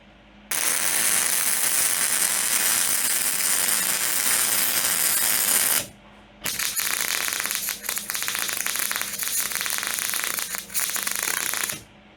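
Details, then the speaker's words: MIG welder with wire speed about 10 then 20–30 above correct setting, beads run: harsh crackling and popping with uneven bursts instead of a smooth sizzle; wire feed set too high. "So, that was uh about 10 over and this was way cranked up like 20 or 30 over. And I I've just tried to compensate with my um with my weave and it just got worse and worse and that was just just terrible."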